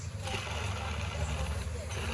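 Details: Peugeot 308 running with a noisy engine: steady deep rumble that never changes rhythm, traced to the worn bearing of the external water pump clutch; bearing replacement considered.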